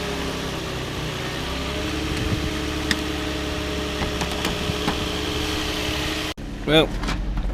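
Steady, even low hum of a settled idle with no knocks or misses; the engine runs smoothly and sounds healthy.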